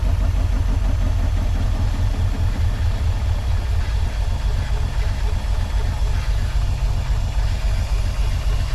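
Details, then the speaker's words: Porsche 928 manual, long-sitting, first start: deep, uneven, very low loping idle near stalling from stuck fuel injectors; after tapping on injectors it idles much smoother; oil pressure good. "it'll probably die it's idling really really low all right I did something really neat and it actually kind of worked I started beating on the injectors [Applause] stuck injectors it's actually uh idling a whole lot smoother now"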